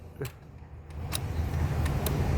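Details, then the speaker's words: Toyota Hilux 2GD diesel, hard to start when shut off: power reaches starter but it only clicks, sharp single clicks about a second apart, engine never cranks; worn starter brushes with slipping bendix drive. "Nakakapasok ang kuryente nito. Hindi lang nakakaikot. Hindi nakakapalo yung ano yung starter."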